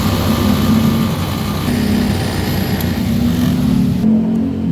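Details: Honda Beat Deluxe fuel-injected scooter holds a steady, fast drone well above normal idle with the throttle cable untouched. High idle persists after checking the cable; the throttle body, ISC and TPS are being inspected. Cause suspected, not confirmed.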